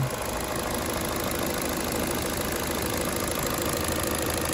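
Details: 2012 Chevy Cruze 1.8L non-turbo after replacing the valve cover with its ruptured PCV diaphragm (rough running, P0171 lean), fuel trims near zero: steady, even idle with a smooth constant hum, no knocks, ticks or hunting; normal idle.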